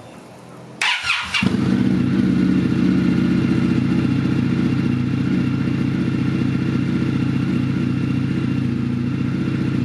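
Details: 2021 Indian FTR 1200 R Carbon after a rebuild with new parts, started to draw in radiator fluid and open the thermostat: a brief crank catches quickly and settles into a steady, even idle with a low, regular beat and no knocks or misses.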